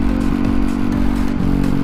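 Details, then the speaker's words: Yamaha WR dirt bike barely running while ridden, limping back; stumbling engine note with uneven gaps and dips; rider suspects fuel issue despite fuel pump replaced over summer, doubts map issue; hint to check grounds; engine misfire. "I really hope I'm not like killing the bike right now, but I'm definitely having some sort of fuel issue, which doesn't make sense because I just did a fuel pump like over the summer."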